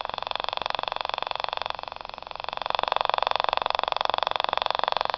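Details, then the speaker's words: Battery-less Stubblefield coil at 0.3 V, reactivated by tap-water soak, heard via small radio: steady rapid reed switch clicking about four per second, growing louder as the mirror magnet spinner speeds up; running normally. "that's spinning up that little magnet on that mirror"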